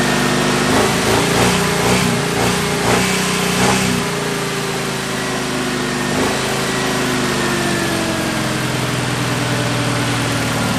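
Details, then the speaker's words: 1974 Jeep CJ5 rock crawler, first start after sitting 4–5 years: low wavering idle that hunts and sags; owner will raise the idle until varnished stale gas clears the carburetor. "I don't want to die there a little bit to adjust the idle a little bit up until I get some of that varnish and stretch gas running through there"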